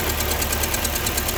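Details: Vehicle whose worn-out motor mounts are being replaced and which has a radiator leak, idling steadily with quick, even ticking of roughly ten a second; a noisy valve or lifter on one side is suspected, not confirmed. Engine ticking.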